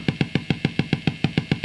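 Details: Marshall JTM45 MkII model 2245 valve guitar amp after a few minutes warm-up, guitar strummed: deep regular thump about seven times a second, with popping and spitting; low-frequency motorboating traced to dry solder joints.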